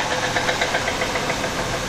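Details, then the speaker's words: Engine revved after Seafoam and Lucas Oil additive treatment still knocks: steady rapid metallic knocking, loud and persistent over idle, suggesting a badly worn bottom end; engine knock. "I give it a couple of reps see this she's still knocks for cake"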